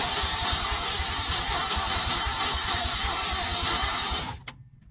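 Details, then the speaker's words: 1961 engine, first start attempt after 30 years, starter fluid sprayed into dry carburetor: rhythmic starter cranking about three pulses a second for four seconds, no cylinder catching; cranks without starting, compression issue suspected. "it's dry yeah watch your bark off y'all ring there she ain't firing"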